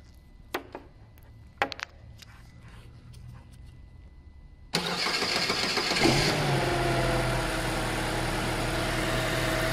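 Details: Starter motor relay bypassed by jumping terminals 30 and 87 with a single wire, key on, car in neutral: quiet with light clicks, then the starter spins and the engine catches within about a second into a steady idle, showing normal cranking and starting.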